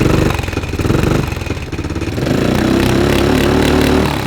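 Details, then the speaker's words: Blue 300 four-wheeler after fresh top end, timing guessed and set wrong; rough, lumpy single-cylinder idle stumbling and surging unevenly; timing off, running too rich, using a lot of fuel and smoking heavily. "The timing was off. I could tell something was up because it was using a lot of fuel."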